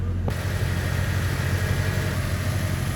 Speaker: यह देखिए गाड़ी बहुत ज्यादा रेस हुई है आप इसका बहुत ऊपर गए हुए रेसिंग